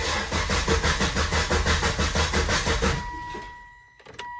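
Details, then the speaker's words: 2002 Volvo XC70 2.4 turbo with cam sensor code, long crank since timing job: steady starter cranking about three beats a second for three seconds without catching; long crank caused by faulty cam sensor aperture ring and housing, later replaced. "It's got a long crank time. Sometimes it starts faster, but ever since I did the timing job, it cranks a few times for very long before it starts."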